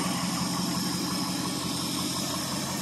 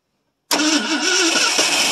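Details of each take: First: 1970 Ford F100 Ranger XLT, 390 FE V8, cold start after sitting years, not driven in 21 years: smooth even idle with steady low rumble, no knocks, misses or ticks, no smoke; running healthily. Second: 1970 Ford F100 Ranger XLT 390 FE V8, first start in about three to four years. Fuel is poured into the carb and the starter is jumped at the solenoid. Loud cranking with wavering pitch as it coughs and tries to catch but never settles.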